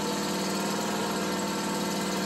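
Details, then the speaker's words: Small petrol engine with a carburettor missing its Welch plug (vacuum leak), idling evenly with a steady drone and no surging or popping while the leak is sealed with a finger; it runs rough again when uncovered. "basically I'm isolating the vacuum leak with my finger when I do that"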